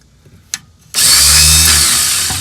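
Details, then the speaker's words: Rusty 1976 Porsche 914 that was fully submerged, starter jumped with a screwdriver: high electric whir spins up and slowly fades with no cranking beat; starter seems to free-spin without engaging the flywheel, engine to be dropped for inspection. "Huh. So the starter's doing the same thing. Weird. It's like it's not engaging the flywheel for some reason."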